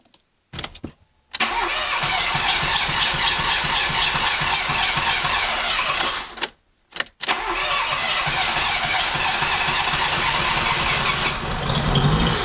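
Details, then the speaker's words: Fiat Panda CLX after engine reassembly for cylinder head problem, airbox not yet fitted: short crank, catches and holds steady, slightly loud run with no knocks, misses or rattles; normal running. "Seems like it's running for now. Seems like it's running just fine. So as you can hear behind me, it's maybe a bit loud here, but she runs. And she runs perfectly."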